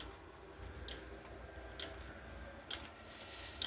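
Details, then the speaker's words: Voltage relay self-oscillating before magnet is applied: sharp dry clicks about once a second, fairly even, in a quiet room; normal relay oscillation clicking. "so you can see it's working there you can hear it clicking away"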